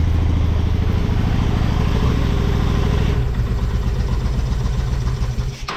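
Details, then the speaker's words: Honda Shadow motorcycle (possibly 650) that sat almost a decade: low, somewhat lumpy thump about three beats a second holding on its own while still cold, choke being eased off; normal cold idle. "check it out she's idling under her own power still pretty cold see if I can take the choke off"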